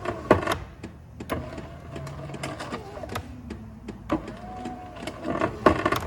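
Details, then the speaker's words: 2012 Chevy Impala: uneven light taps and clicks over a faint motor whir, continuing with key out; a common failing recirculation actuator, while something is broken on the replaced window regulator. "yeah you can just hear that cable wrapping up in there something's broke on this regulator"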